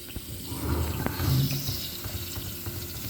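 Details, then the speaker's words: Refrigerator whose compressor has just started: steady rushing hiss over the compressor's low hum. Refrigerant leak from the tray tubing. "Este es una fuga muy rápido porque podemos escuchar el sonido en esta parte."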